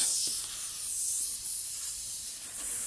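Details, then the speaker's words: Punctured tire being pried open with a flat-head tool before plugging: a steady, high, airy hiss as air sizzles out of the hole slowly, with no engine running. "I'm not losing a lot of air what this is a toolkit probably can hear it sizzling out"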